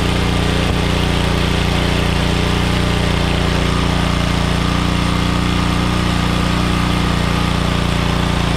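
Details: Troy-Bilt Pony tiller with a 5 hp Briggs & Stratton engine, unused for years, after carburetor cleaning and clearing the main jet with copper wire. It holds a steady, even small-engine drone on its own fuel with no surging.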